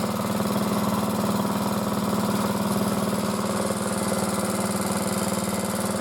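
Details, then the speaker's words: Motor-cultivator that knocked and stalled in autumn after hard use and started poorly, running after valves checked (intake upper 0.20, exhaust lower 0.15 clearance); gearbox turning; steady single-cylinder beat about four pulses a second, no knock or miss; normal running. "Сейчас пробуем заводить. Редуктор вращается. Вот как-то так, ребята."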